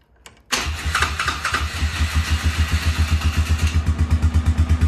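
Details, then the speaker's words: ATV with electric start, solenoid bypassed by crossing its two terminals with a screwdriver: short crank, catches within half a second, settles into even thumping idle about three beats a second; starts and runs fine. "and then your ATV will start"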